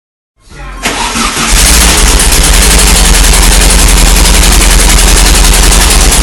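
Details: 1960 VW Bug with a 1600 dual-port air-cooled engine, first run after previously not starting: short crank, then it catches and settles into a loud, steady, even rumble with no misses.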